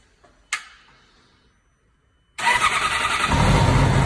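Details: 2006 Yamaha R6 RJ11, 20,000 km: at cold start, fast idle with harsh sawing rasp, not always; also returns for 10-20 seconds after warm engine cools 15 minutes; cause unknown.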